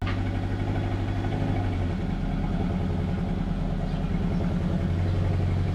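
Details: Honda Civic EP3 Type R with a suspect cheap throttle body that sticks and TPS that wouldn't set low: uneven, lumpy idle with a stumbling low beat and no steady rhythm; suspected cylinder misfire.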